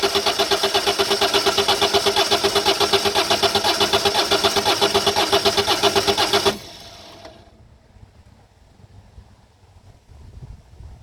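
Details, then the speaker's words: 2008 Citroën Nemo van engine cranks steadily, about four turns a second for six seconds, but never fires; no fuel reaching the combustion, suspected blocked fuel filter, with the filter fitted and primed by hand pump until hard. ", and you will hear just like cranking, and obviously there's no fuel coming through. See, start again. So there's obviously no fuel coming through the system. It just keep cranking and cranking and cranking."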